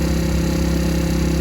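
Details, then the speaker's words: Recovered stolen moped just after first-kick cold start at about 42°F; steady buzzy two-stroke idle, even firing, no knocks or rattles; smoke from exhaust owner thinks is due to cold; running smoothly. "so it runs it sounds pretty good i don't know if you guys can see this but there's smoke coming out the back but i'm pretty sure it's because it's cold outside"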